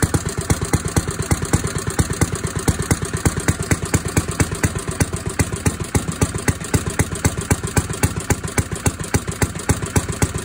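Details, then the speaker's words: 1937 Briggs and Stratton Model A single-cylinder engine with new engine cover runs with steady, even popping about four beats a second, no knocking or abnormal noises; healthy running. "but it ran and it sounded pretty good no abnormal noises or anything unusual no knocking nothing"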